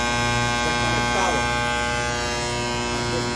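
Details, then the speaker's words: Trane 500-ton centrifugal chiller starter: after the star contactor engages, the contactor keeps buzzing harshly over mains hum; magnet (coil) faulty, contactor to be ordered and replaced. "Ah arrancó el conector estrella pero es que sigue solando tiene problema con con el Magneto así que tenemos que ordenar este contractor para cambiárselo"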